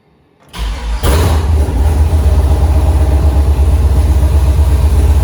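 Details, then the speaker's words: 2008 Silverado prerunner, first start with new Holley Terminator X Max ECU and Aeromotive 340 fuel pumps: catches after brief crank, then runs lumpy and pulsing about four beats a second; rough running. "something happened okay might have a problem but it did start sounds pretty nasty i'm gonna look into that a little bit and see what the problem was"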